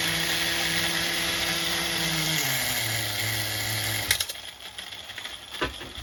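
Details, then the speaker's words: HPI MT2 nitro RC engine during carburetor tuning, richened at the bottom end: it idles at one speed, then drops to a second, lower idle before cutting out. A mistuned carburetor gives this two-stage idle, later fixed by leaning the bottom and richening the top. "you could hear it's two different stages now you can clearly hear the two-stage idle going on"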